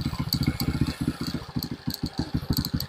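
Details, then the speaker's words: Euro 150 motorcycle warming up after its overflowing carburetor was cleaned to fix a no-start, long stored, idle raised to clear carbon: even, steady single-cylinder thump about nine beats a second, no misses or knocking; healthy idle. "Pinapainit pa natin para mas gumanda yung ano niya. Dahil matagal siyang naano napa-stock."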